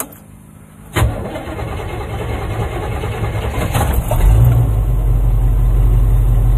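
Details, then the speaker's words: Cold start on a freshly installed Chinese carburetor, with choke applied before the first drive: a short crank, then it catches quickly into a clean, steady raised choke idle that settles near 700 RPM as the choke comes off. Healthy start. "not bad at all she sounds good little bit of removing the choke see like look at that Idol 700 RPM she's just happy"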